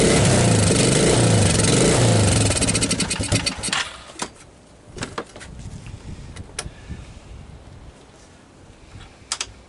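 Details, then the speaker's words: 1985 Suzuki Quadrunner LT230 shaft-drive barn-find ATV catches and runs a few seconds, then fades out and dies leaving clicks; stalls after starting, owner suspects a gummed-up carburetor not pulling gas properly. "To me, it sounds like I got like a gummed up carburetor in here, right? I'm not pulling gas properly."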